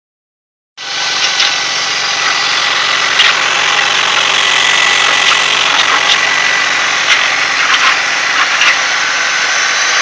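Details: 2000 BMW 323Ci petrol engine idling with a weird noise: a harsh hissy rush, faint thin whistle and scattered light ticks.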